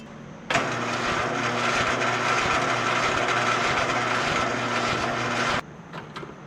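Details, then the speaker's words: Free roadside lawn tractor after ignition/spark repair with plug and valve cover refitted, decompression switch apparently working: engine catches at once and holds a steady, even buzz about five seconds before cutting off; starts and runs. "All right, guys. Well, it runs good. It drives good."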